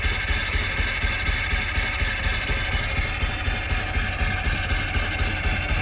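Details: 1998 Jeep Wrangler, 2.5 engine, manual, long-sitting, started on a borrowed battery: uneven low chug, about four pulses a second, close to stalling and staying running only on starter fluid. Owner guesses the fuel pump, unconfirmed; added gas didn't help.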